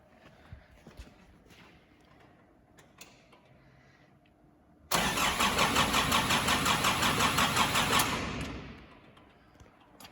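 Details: Nissan Navara D22 in for crank-no-start, timing chains and injector pump already replaced, injector pump disconnected so it cranks without starting: after quiet background, brisk three-second crank with even compression pulses, no grinding or clicking; starter sounds healthy.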